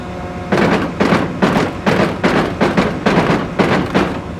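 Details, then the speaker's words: Cotton picker #1 row unit in tether mode, with the drive rotating the head after washing: heavy rhythmic clunks two to three a second as the main gearbox slip clutch ratchets and slips, a damaged head. "There's one on each drum, front and back drum, but there's also one on the main gearbox. And that's a slip clutch that you hear slipping right there."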